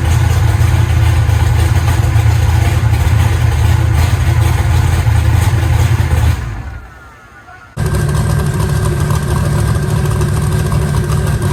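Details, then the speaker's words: Eagle Talon rewired and converted from Pro EFI to Holley: an even, steady low rumble with a regular firing beat and one brief cut, otherwise hitting on all cylinders. "sounds like it's hitting on all of them now shut down t85 and cold"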